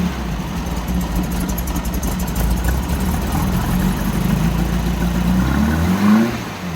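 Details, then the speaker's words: 1964 Volkswagen Beetle air-cooled four, just started, oil pressure light on then out: uneven lumpy loping idle with brief rev; possibly not running on all four cylinders, rough idle. "it really doesn't sound happy um I'm not even sure if it's running on all four cylinders because it sounds quite lumpy"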